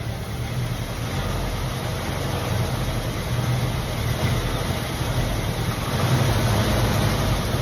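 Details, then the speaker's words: 1965/66 Ford Mustang 289 V8, first start after sitting unused for years: a deep, even burble at idle with no knocks or misses; oil pressure good, only a coolant leak at the thermostat housing, running smoothly. "Running really good though. Pretty snappy for a 289."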